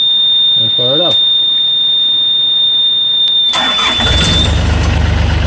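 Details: Yanmar 3TNV88 diesel in a Yanmar C30R after fuel filter and water separator service and air bleeding: the electric lift pump whines, then a short crank and the diesel catches cleanly into an even idle. Normal start.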